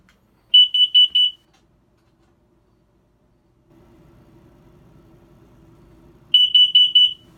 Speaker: I can hear the alarm for the carbon monoxide going off, I think.